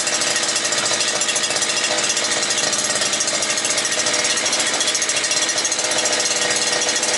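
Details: New petrol brush cutter (trimmer), won't start at first though it started in the shop, running after starting without choke: high, buzzy two-stroke note at steady speed, no surging or dropouts; runs cleanly.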